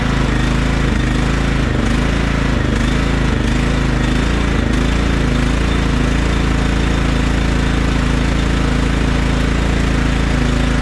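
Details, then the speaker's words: Other Craftsman LT1000 lawn tractor, carburetor cleaned twice and throttle bracket adjusted: small single rises and sags in speed about every second, then holds steadier; idle surging, owner can't find cause and considers new carburetor. "Tuning up the other LT1000 still surges a little bit. I might buy a new carburetor just for it because I've been fiddling with it all day today and I can't figure it out."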